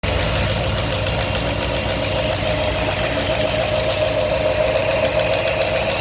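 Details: New 347 crate V8 engine at idle: a steady knock, roughly three to four per second, riding over the engine's rumble.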